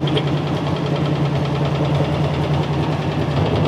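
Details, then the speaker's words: Demolition-derby engine with water in the oil, fresh oil added, idling: faint fast tick about three per second, quieter as rpm rises, motor mount broken; suspected flex plate hitting, or front cylinder. "Here we go. We definitely hear a tick, so we're going to let it run and lift it up on the hoist."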